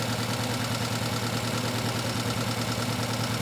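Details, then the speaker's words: Uscope misfire diagnosis with engine running: rough, lumpy idle with a steady stumble about three times a second, one cylinder dead because its ignition coil was left off; misfire from missing ignition coil. "you hear the way that car was running um probably a reason because it didn't have a coil"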